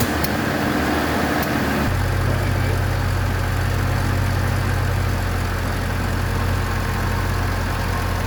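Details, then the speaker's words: 1976 BMW 2002, Weber carbs, big camshaft, long-tube headers, ANSA exhaust, first run after 22 years: idle shifts abruptly to a lower heavier hum and won't hold steady, timing running away; points gap later found way off and fixed. "okay problem I'm having is the timing just keeps running away I might have to oh go Google something about that"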